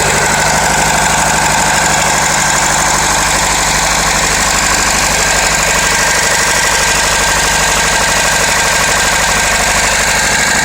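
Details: Renault Laguna 2.0 dCi 150 hp diesel at steady idle with a sharp metallic clatter ticking about three times a second; engine knocking noise, source not identified.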